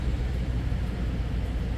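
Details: 2013 Toyota Sequoia idling after no-start fixed by restoring power at the connector, jumper fuse fitted; steady even low rumble, no misses, knocks or ticks.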